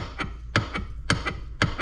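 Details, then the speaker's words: Kawasaki KFX400 engine case on the bench with balancer fitted and crank turned by hand: sharp metallic clacks about every half second as the balancer strikes the crank; crank not seated far enough, suspected wrong Japanese main bearings. "all right guys I got the balancer in here and it's fine but if you listen it's hitting the crank"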